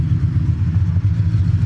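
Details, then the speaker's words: 1979 AMC Spirit AMX, AMC 304 V8 converted from carburetor to ACES throttle-body EFI. Deep, lumpy rumble sags on decel with the clutch in, then steadies instead of stalling after one setting fixed the stall; normal idle. "it's learning I think I did a thing all right so if I throw a clutch in normally it would have died right there I think we did it boys I think we found my mystery problem it's not dying"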